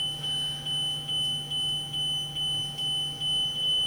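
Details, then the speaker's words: 2020 Tiffin Allegro 34PA motorhome, key on: evenly spaced chirps, about two per second, over a quiet hum; the normal warning while the leveling jacks retract on Auto Store. "as you see as the jacks go up is they're all the way up the lights will start going out straight now both fronts are up bet you just waiting on the back"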